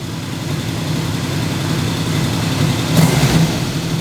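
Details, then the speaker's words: Yamaha XS750 triple with three-into-one header after carb sync: smooth, even idle with one quick throttle blip picking up cleanly, rain hissing behind; good throttle response, slightly more bar vibration, engine sounds healthy. "but the throttle response is good it seems overall more happy already"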